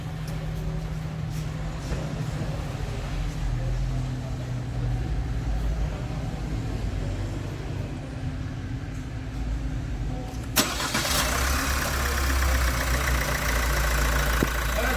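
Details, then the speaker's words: Opel Astra J 1.6 CDTI 136 hp diesel at 67,000 km, after repair of an engine noise tied to the timing chain: a steady, even idle with a smooth low rumble and no rattle or chain slap. The noise is gone. "aracımızı bitirdi aracımızda ses kalmadı"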